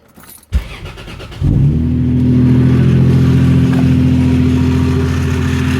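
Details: 1997 Lexus SC300 2JZ petrol six with a visibly loose belt: cranks, starts and idles with a faint, fairly regular tick; owner unsure if lifters, timing belt or tensioner; check engine light from a bad O2 sensor.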